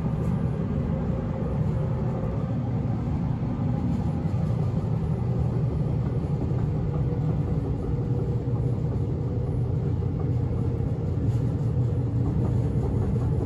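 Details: Inside a 1991 S-Bahn Berlin BR485 railcar 485 112-7 running on the S8 between Schönfließ and Hohen Neuendorf: a heavy clattering rumble, harsher than normal running, from a severe flat spot on a wheel.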